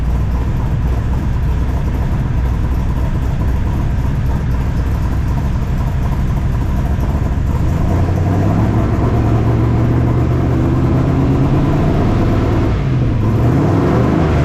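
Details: 1978 squarebody V8 with full roller rockers, first start after installing 3" exhaust and Flow Monster mufflers, carb hat off: deep, even burble with throttle blips and faint valvetrain tick, normal for roller rockers; running fine.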